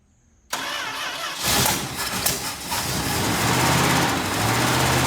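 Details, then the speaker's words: 1967 Plymouth Fury III 383 V8, first start in 15 years after new fuel pump, fuel just reached carburetor: starter cranks about a second, then the V8 catches and settles into a steady, even idle. "so um right there was it almost started and we finally now have gas in the carburetor so hopefully next turn it will go ahead and run"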